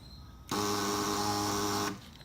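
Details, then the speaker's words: Cat-eye super pocket bike with newly wired electric start: a smooth high whir for about a second and a half with no compression chugs on a fully charged battery; the starter spins without cranking the engine. "thing is when the battery gets low it sounds like it actually turns the engine over the one that's fully charged it does doesn't for some reason it's kind of weird"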